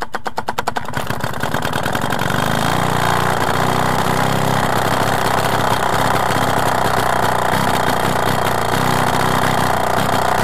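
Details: Solex 3800 compétition 16P moped, first start after full restoration: cranks with quick pops, catches and settles into an even two-stroke buzz that holds steady without misfires; running fine.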